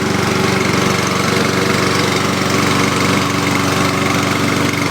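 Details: 2011 Lawn-Boy self-propelled mower, under a year old, serviced after improper storage, started after cooling since an earlier run; single-cylinder engine settles into a steady, even putter with no misses, healthy.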